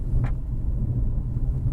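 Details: 2008 Subaru Outback recorded inside the car: a heavy, steady low rumbling growl on left turns from a badly worn front wheel bearing, before replacement.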